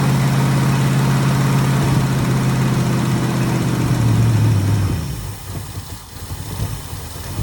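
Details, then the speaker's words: 1966 Ford Mustang after fixing ignition bypass of pink resistor wire (points melted), bright spark now; engine catches with low lumpy drone, sags and dies after about five seconds, still acting like flooding out; cause not found. "Still acting like flooding out."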